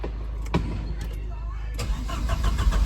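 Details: 1985.5 Porsche 944 project car on its first day, battery on jumper cables, headlights and fog lights on: the starter whirs steadily at about three to four turns a second but the engine never fires. Crank, no start; cause not yet known.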